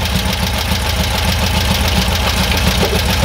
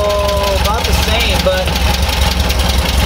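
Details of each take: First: Air-cooled VW bus engine, freshly built, during dual carburetor balancing with an airflow meter reading about five: even, steady putter at idle, about three and a half beats a second, no stumble; settled idle, starting to warm. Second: Freshly rebuilt air-cooled VW bus engine with dual carburetors during balancing: slow, loping, uneven low rumble barely ticking over; idling too low, so one carburetor side is brought up until the airflow meter reads about five.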